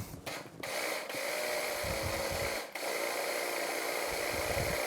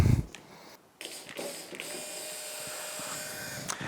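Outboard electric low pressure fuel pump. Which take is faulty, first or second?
first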